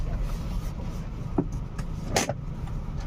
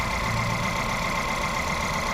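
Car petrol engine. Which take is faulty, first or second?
second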